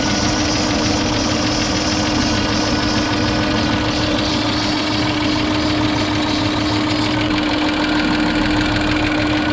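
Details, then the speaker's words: Ford EF Falcon petrol engine idling just after starting: steady squeal from the front accessory belt over a light busy hydraulic lifter tick; on the drive only the belt squeal is heard. "that squeal makes it sound so much worse"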